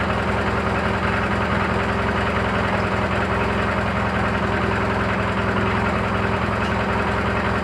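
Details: Briggs & Stratton 18 HP opposed-twin, due an oil change, new air filter just fitted: the idle carries an irregular light metallic chatter over the exhaust beat. An engine knock of unknown source; the owner thinks he knows the cause.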